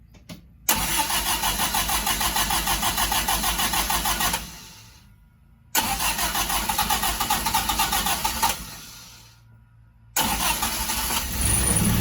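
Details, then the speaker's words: Sunbeam Alpine with new WOSP high-torque starter after fitting a temporary spacer between starter and adapter plate: three clean cranking bursts with an even churning beat, the earlier grinding from a fitment issue (pinion engagement) now gone. "Clearly, you no longer hear that grinding sound."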